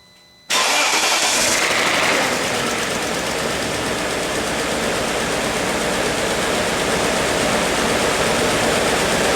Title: BMW E38 Timing chain rattle due to failed timing rail guide.wmv